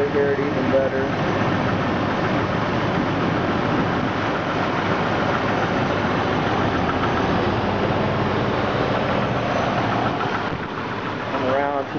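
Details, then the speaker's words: 2000 Jeep Grand Cherokee Laredo 4.0 I6, cold start after about eight hours sitting, oil pressure fine: persistent hard ticking knock that begins shortly after start, not when very cold. Present for months; mechanics place it near the bellhousing/oil pan junction; source unconfirmed. "okay so this is my 2000 Jeep Grand Cherokee Laredo it's got a 4.0 I've six just making a crazy crazy knocking sound"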